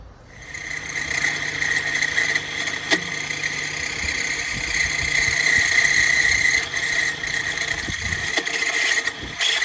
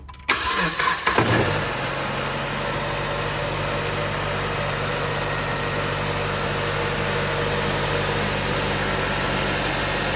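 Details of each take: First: 2013 Chrysler 200 running with no-charge warning light: thin steady high whine under the hood for a couple of days, suspected alternator, which was then replaced. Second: 2013 Chrysler 200 on a cold, rainy morning, started after replacing the alternator, whose clutch pulley had been slipping and making a racket: catches quickly and settles into a smooth idle with no squeal or rattle from the front.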